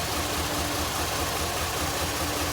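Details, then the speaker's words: Recently bought 2002 Jeep Liberty Limited with a flashing check engine light, idle suddenly chugging with uneven low thumps, roughly four or five a second; engine visibly vibrating, rough idle of unknown cause. "Alright, just as I shut the video off, it started doing it. Hear that chugging? I don't know if you can see. Engine's vibrating."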